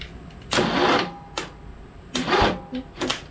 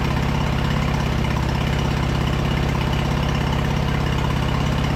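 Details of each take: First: Early-2000s Craftsman LT2000 V-twin lawn tractor, sat about a year: short, sluggish cranking bursts that stall and stop, then retry; starter drags and hangs up. Owner suspects starter froze from sitting, not confirmed. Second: Early-2000s Craftsman LT2000 lawn tractor V-twin, sat about a year, gravity-fed fuel, choke half on, upper shroud off: steady, even putter just above idle, no misses or knocks; runs well but carb clean still planned.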